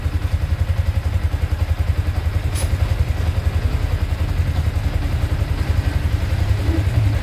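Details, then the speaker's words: Yamaha Sniper 155 VVA idling after an oil change and spark plug replacement: steady, even single-cylinder thump around 160 pulses a minute, no knocks or rattles; normal healthy idle. "So ito yung titisting natin mga paps. I-start natin, pandarin natin. So ayun, okay."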